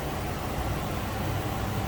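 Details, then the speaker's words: 2006 Ford Econoline E-450 flatbed conversion with dual rear wheels and a 6.8-liter V10, heard with the hood open: deep, steady rumble with an even beat and no knocks or misses. Smooth, healthy normal idle. "Smooth runner, sounds good."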